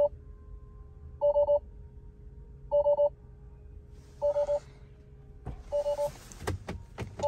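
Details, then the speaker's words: 2021 Tesla Model 3 Long Range, battery run below 0% with 2.3 still remaining: a triple-tone chime repeats about every 1.5 s in a quiet cabin as load shed alerts appear, features shut off and the car can no longer drive. "wow everything's turning off if only could turn that sound off it's so annoying"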